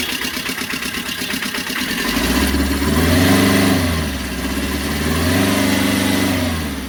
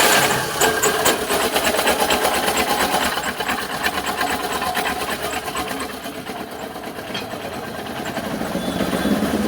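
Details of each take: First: Tata Ace diesel after fixing a loose pump bolt and broken strut that caused a rattling noise, old belt refitted: catches after a brief crank, revs twice, settles to an even idle with no rattle or knock. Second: Tata Ace diesel idling with smoke and a busy uneven 'kala kala' metallic rattle; timing cover removed revealed a very loose timing belt, timing likely out; loose timing belt rattle.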